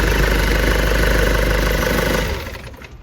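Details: Nissan Urvan ZD30 diesel after a no-start repair, with everything refitted and tightened: it catches and settles into a steady, even clatter at idle with no misses or knocks; the engine is now running healthy.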